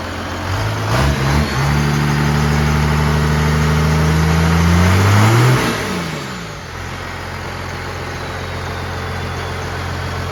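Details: 1969 Dodge D200 Sweptline with a swapped 5.9 first-gen 12-valve Cummins, warming up after a cold start; battery not charging. Deep, steady diesel clatter revs up, drops back and settles to an even idle: normal diesel idle.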